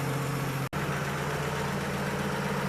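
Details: 1950 Chevy 3600 truck six-cylinder just started cold, no choke, running after new radiator hoses and coolant fill, thermostat not yet open; steady, even low idle with no knocks or misses; normal cold idle.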